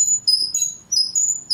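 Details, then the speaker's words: Cheyenne PEN tattoo machine: repeated shrill squeaks, about three per second, as the needle depth adjuster is turned; the adjuster squeaks while rotating. "Меняешь, когда вылет иглы, это очень сильно скрипит."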